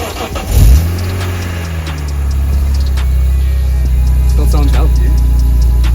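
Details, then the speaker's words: BMW E46 (original) started up and left to warm up before a drive: a short crank with a quick rising whirr catches cleanly into a steady, smooth idle, with background music; normal engine start. "it's still got the telephone in it. Let's let it warm up for a little bit."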